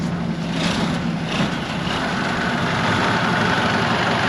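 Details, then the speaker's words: IH 915 combine, unmoved for about a dozen years, with the fuel system primed: steady low diesel rumble at idle with an even beat, no knocks or misses; air still in the system. "here it goes it's running for a second okay it's running we're not going anywhere"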